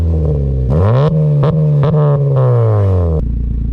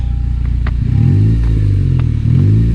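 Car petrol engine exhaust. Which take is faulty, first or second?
first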